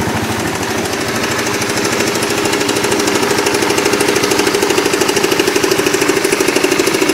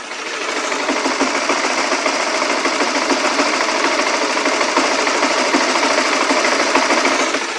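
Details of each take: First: Motorbike ("Oscar") engine with a klotok-klotok clatter present for almost a year: a clear, metallic, steady clatter of roughly three knocks a second over the idle, which later went away. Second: Honda motorcycle single-cylinder engine, recorded with an external Sony microphone: steady, even idle with a light, quick ticking patter; the earlier clatter is gone, normal.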